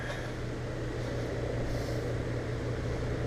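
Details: Newly installed Rheem EcoNet 3-stage inverter system outdoor unit, with factory compressor blanket, slowly ramping up on a high-stage cooling command: low, steady, even hum with no rattles, knocks or whine; normal quiet running.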